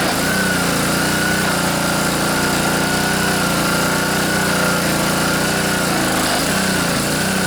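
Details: Honda GCV160 pressure washer engine after cleaning the carburetor float bowl and main jet, started on first pull with choke on and water flowing; holds a steady, even beat with no surging or hunting, faint music behind. Normal running.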